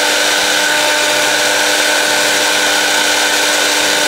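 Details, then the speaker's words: Miyako blender, previously totally dead, repaired with a jumper without replacing the motor: motor spins up and holds a steady, even whir at constant pitch, no grinding or stalling; working again. "Oke sudah bisa nyala udah bisa muter Sip lah kowe ini Saya nyalakan lagi asli ya oke mantap"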